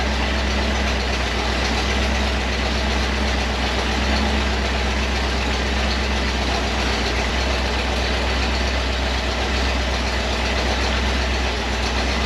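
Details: Model A rat rod V8, first start after the TH400 transmission was rebuilt and reinstalled, once fuel reached it: a steady, deep, even rumble with no knocks or misses as it settles into a smooth warm-up idle.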